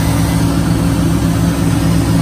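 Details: 2003 Chevrolet Silverado 1500 Vortec V8, started after a no-crank using a jumper from starter relay pin 87 to positive. Deep, even idle with a steady low rumble and no knocks or misses: engine running smoothly.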